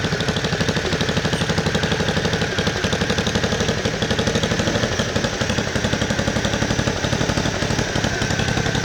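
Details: 1969 Bolens 850 tractor, Wisconsin S8D 8.25HP single-cylinder, run after carburetor initial adjustment while tuning points: fast thump at high speed with hard uneven knock on every beat; knocks badly at high RPM, idles poorly, smokes; cause unconfirmed.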